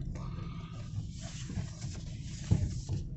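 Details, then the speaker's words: Lada Largus Cross after repair of a squeal/whistle from the suspension when turning, worst to the left: low engine rumble with a few soft thumps at full left lock, no squeal or whistle. "до упора Как видите нету свиста Так давайте теперь вправо попробуем"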